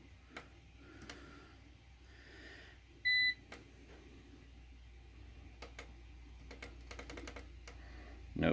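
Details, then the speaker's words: APC BN450M 450VA UPS, battery depleted after a 230 W runtime test of about 40–45 seconds: one short sharp high beep as the power button is pressed, the unit refusing to start on the flat battery. "now that's the sound of trying to do something it don't want to do"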